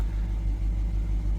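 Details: 2022 Dodge Durango R/T V8 idling after a DIY swap replacing a blown engine: deep, even rumble with steady low pulse, no knocks or ticks; a tick on early starts went away by about the third start, thought to be oil pressure building.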